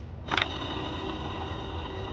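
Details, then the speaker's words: A/C compressor clutch pulley spun freely by hand gives a rough, gritty whir with a faint hiss. It should be silent, so the worn clutch pulley bearing needs replacing. "The bearing is too noisy, and that is what we want to replace. You shouldn't hear any noise when you spin this, put it like this."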